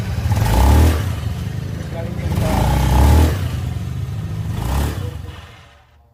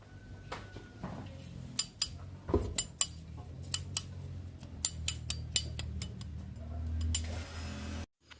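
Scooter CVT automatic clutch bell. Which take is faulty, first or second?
second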